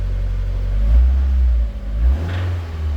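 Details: 2000 Mazda Miata with BP4W engine: engine blips up from idle and a deep rod knock appears coming off idle under load, with no noise at idle; oil pressure rising beforehand.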